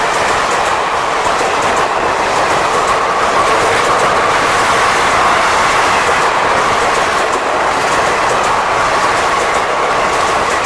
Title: WAP 7 Locomotives producing creaking sound